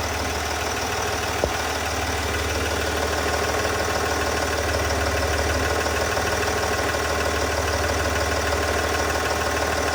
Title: ticking noise sdv6